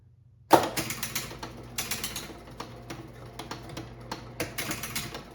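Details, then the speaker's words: Bally Super 7 bingo pinball machine after adjusting a faulty switch: bursts of quick sharp relay clicks in irregular clusters over a faint hum, the relay bank cycling properly; the switch was the fault. "Hear the hear the relays clicking. All right. This looks like it was just that one switch."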